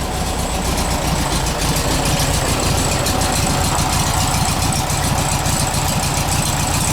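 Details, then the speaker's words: Old low-mileage car at idle. It runs okay, then as it idles down an uneven, loping beat appears, as if one cylinder drops out now and then. It likely needs a tune-up; the cause is suspected, not confirmed. "you hear how it's okay right now but if you let it idle down you'll hear it start loping on one cylinder"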